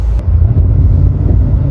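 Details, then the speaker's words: 1000hp tuned Cadillac CT5-V Blackwing, manual, pulling away: heavy low exhaust rumble surging and stumbling; engine breaking up on revving, tough idle, wide bands all over the place, cause not yet found. "here it is a breaking up on upon revving you hear breaking up idle's a little tough"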